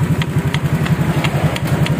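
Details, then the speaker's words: Honda Vario idling during a racing-exhaust swap: steady idle thrum with a sharp metallic tick about four times a second; not the exhaust, but a loose bolt, checked with a 14 mm spanner and tightened. "ini nih kalau gak percaya nih ini nih nih bautnya kendor nih Ni bautnya kendor nih Ni bnya kendor ni kenceng ini k kencengin k bautnya kendor BR"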